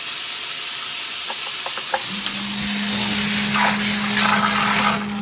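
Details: Basement sump pump restarting after rocks and mud got in through a ripped filter and were cleaned out with a hose; steady motor hum over rushing, splashing water at an even pitch, pumping normally.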